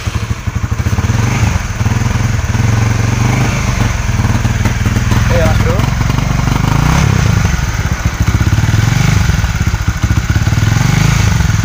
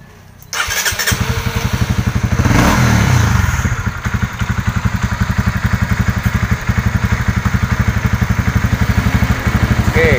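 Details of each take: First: Honda CB150R, no MIL code, stutters and hesitates on light throttle at low and high rpm instead of pulling evenly; fuel pump pressure being checked. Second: Honda CB150R after service for a stumbling (brebet) complaint at low and high rpm, fuel pump filter replaced, fuel pressure now near 40: short crank, catches at once, brief rev, then even steady idle; idle now normal.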